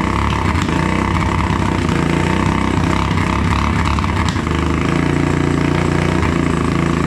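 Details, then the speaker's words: Motorcycle after tapping the carburetor needle and seat to get fuel flowing: small engine buzzing with uneven, surging revs under held throttle. Runs only with throttle held open; the carburetor fuel-air mixture may need adjusting. "well it seems as though we're only getting enough fuel for when I hold the throttle open"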